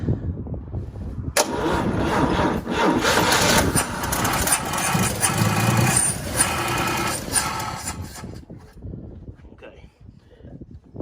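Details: Vehicle with 65,000 original miles, gas poured in to start: cranking breaks into a few seconds of ragged firing, then fades away; likely starved of fuel; catches but won't keep running.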